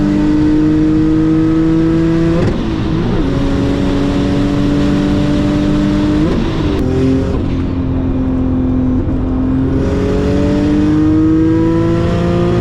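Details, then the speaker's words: Single-turbo Audi B5 S4 on a new tune near maxed on 93 pump gas, pulls; steady rising tone flattens near the top as boost tapers and oscillates at high rpm. "And as you guys can hear from some of the videos, it sounds like when the car is like up in the higher end of the RPM, it sounds like the boost is like tapering, and it's basically some boost oscillation which is going on."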